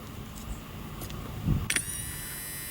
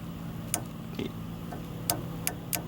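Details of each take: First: Honda Odyssey sliding door closer motor, removed from the latch mechanism and powered directly with 12 V, clicks and spins up to a steady, even whine both ways; the motor is healthy and the mechanism is jammed. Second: Honda Odyssey sliding-door closer motor, removed and bench-tested on 12 V across the red and green terminals: faint irregular clunks and clicks over a low hum, same as in use; the mechanism is suspected jammed and not working.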